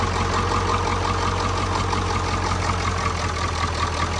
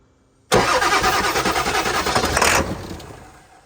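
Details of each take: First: 1991 Ford F-350 freshly swapped to a 7.3 Powerstroke diesel, first start after an initial no-fuel crank; it settles into a steady, even diesel clatter at idle with no misses or knocks. Normal idle. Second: 1991 Ford F-350 swapped to 7.3 Powerstroke diesel, just filled with oil and fuel filter pre-filled: fast, uneven cranking for about two seconds with no catch, then winds down; crank no start, owner thinks it is not getting fuel.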